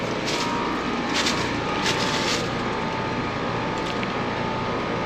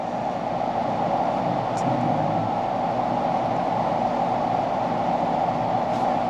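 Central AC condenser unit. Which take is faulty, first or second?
second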